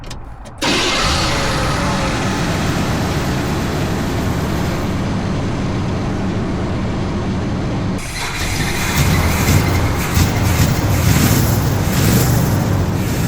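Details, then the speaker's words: Square-body Chevy Blazer, back after 20 years, fuel now arriving: engine catches into a lumpy, uneven beat that picks up; rich running from a sticking carburetor float, something blowing needing tightening. "Yeah, she's non-stop blowing. I'll tighten that back up. And then the float's just sticking."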